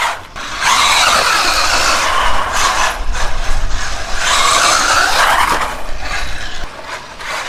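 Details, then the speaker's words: SG-1603 RC drift car after teardown and rebuild with the 144001 diffs removed: smooth whine rising and falling with throttle, no grinding or clicking; electric drivetrain runs clean and much quieter than before. "that is definitely so much quieter thanks for watching guys take care"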